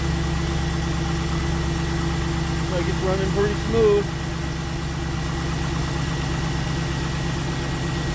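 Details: 2002 Pontiac Trans Am after power steering pump and plastic pulley replacement, belt reinstalled: smooth, even idle with steady low hum, no squeal, chirp or knock from belt or pulley; running healthy.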